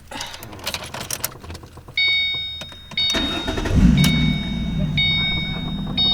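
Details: Ford Mustang collected from the shop after a fuel pump repair, with the gauge and check engine light also fixed: the door chime pings, then a brief crank and the engine catches at once into a steady, even idle. Normal start.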